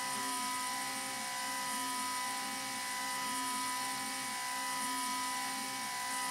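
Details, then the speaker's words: Avid CNC Benchtop Pro router with CNCDepot S30C 2.2kW spindle and Fogbuster, cutting A36 mild steel at 100 ipm with 0.03 stepover: an even, steady high whine with no chatter, a healthy spindle, and straw-coloured chips. "I have to say I think that sounds pretty good It's cruising along a nice rate it doesn't sound chattery, the spindle sounds good, it's making nice chips."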